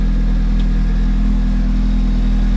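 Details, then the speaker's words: R34 Skyline with Beams turbo on E85, just after fuel system work and with lambda near 1: deep, steady idle with an even low drone, no misses, knocks or flutter; normal idle, though owner suspects the turbo is failing. "But yeah, it's it's running. Sounds good."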